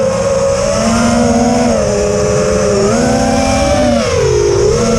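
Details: Quadcopter in flight, TBS Bulletproof 25A ESCs (signal cap removed), DShot 600, Betaflight upgraded 2.9 to 3.1.0-RC5, lowered PIDs P40/I20/D5. Shrill motor whine wavers with throttle under a rough buzzy edge; cause unclear.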